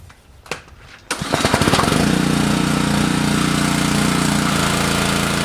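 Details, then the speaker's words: Repaired Honda GC190 pressure washer, after carburetor cleaning and an oil change. A couple of pulls, then it runs at a steady, even governed speed with no hunting or surging; normal. "all right sounds pretty good but uh I'm going to use it here for about a 15 minutes the spray on this wheel horse okay I'll see if the thing works"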